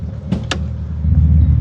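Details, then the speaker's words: BMW E31 850i V12, abandoned since 2011, after complete mechanical restoration and first drive: deep, even low exhaust burble with a couple of sharp clicks, smooth idle; exhaust seemingly breaking in, apparently no immediate leaks. "Oh yeah. Much deeper burble from the exhaust."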